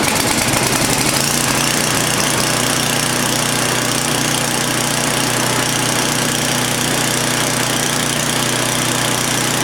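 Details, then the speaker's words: Old Craftsman snowblower bought as a non-runner, first start after repair with fresh gas, oil filled and primed: catches within a second, then a loud steady single-cylinder buzz at constant speed, no surging, missing or knocking; running healthy. "so we're going to prime it i've already turned the fuel on put fresh gas in there oh it's sounding good"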